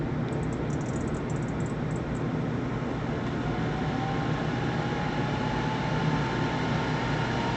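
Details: World Model A hand dryer, General Electric universal motor run on the bench, heating element not yet connected: a steady, even rushing roar with no knock, rattle or grinding; blower runs smoothly.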